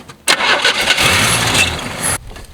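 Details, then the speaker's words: Long-sitting 1978/1980 Chevy squarebody truck on a temporary battery, after fixing bad battery connections: starter spins the engine steadily for about two seconds, stops without catching or firing. "all right we've got crankage now will we get fireage let's see crank it"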